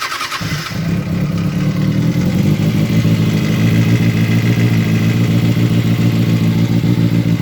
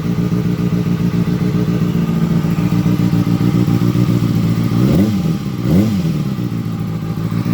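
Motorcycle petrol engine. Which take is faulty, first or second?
first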